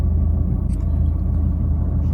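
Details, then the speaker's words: Fiat 500 Cat S repair, running premium petrol and Redex: low, lumpy, uneven rough idle; the owner suspects the vibration is the air intake pipe and plans to check the coil pack; it may need a longer run; cause unconfirmed. "i think the vibration is uh is that pipe uh the air intake pipe but yes i mean maybe it needs a bit of a longer run but it's not brilliant"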